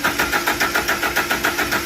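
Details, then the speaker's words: Toyota Hilux 2.7 VVT-i petrol, 2010, right after replacing the in-tank fuel pump/sender unit: starter cranks steadily with a faint pump whine in the tank, but the engine never starts; no fuel pressure reaches the engine, cause not yet found. "You can hear the pump making a noise in the tank, but the car doesn't start."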